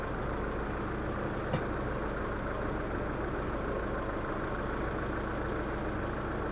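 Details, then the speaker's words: Proton Waja MMC automatic, after a cam sensor repair and idle reset: smooth, settled idle around 800 rpm, set higher than the factory 730 because the car is older, with base timing slightly high. No hunting or knocks; healthy. "Sebab kereta lama sikit. I set dia duduk dekat 800 8 macam tu."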